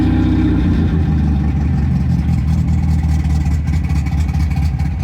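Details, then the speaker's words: MGB, warm after a highway run where it lost power above 3000 rpm and could barely idle: uneven loping idle with a heavy, irregular low rumble, needing choke to keep running. Rough warm idle, cause unclear. "because you shouldn't need any choke when your car is warmed up and idling so let's see [Music] [Music] all right i'm not happy i don't know why i need choke to keep this running"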